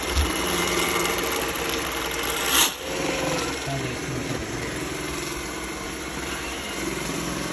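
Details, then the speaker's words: Roomba S9 robot vacuum after cleaning head replacement: steady whirring with rough puffing grind and brief louder catch; new cleaning head did not fix it, cause unclear. Puffing grinding noise. "But it seems like it's still making this puffing sound, puffing grinding sound."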